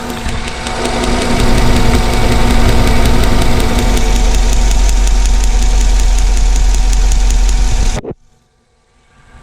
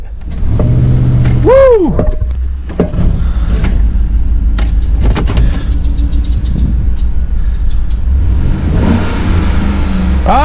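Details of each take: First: 2010 Chevrolet Tahoe Z71 5.3 V8 idling roughly, shaking, check engine light blinking: uneven stumbling misfire on cylinder 7, whose spark plug arcs fire about every five seconds; plugs and wires to be replaced. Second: 2010 Chevrolet Tahoe Z71 5.3 V8 after replacing spark plugs and plug wires to fix a misfire and clearing codes: deep, even rumble that picks up smoothly on a rev, with no stumble or miss.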